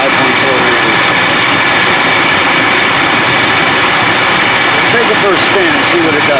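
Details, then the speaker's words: 1999 Ford Expedition 5.4L Triton V8 with new belt showing wear within a day: engine running with a thin steady whir above idle; worn tensioner pulley blamed, matching the wear mark on the belt. "so it's got to be the tensioner pulley it ain't supposed to sound this way"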